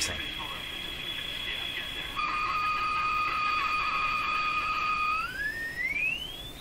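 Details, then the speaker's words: Sparton Model 5049 radio, remaining wax capacitors replaced, tuned to a station: steady piercing whistle over the station then slides sharply upward; ear-piercing oscillation persists, cause unknown. "well I'd say there's just a beautiful oscillation in there I've cleaned it up really nice now so the oscillation is clear and clean and can be heard beautifully"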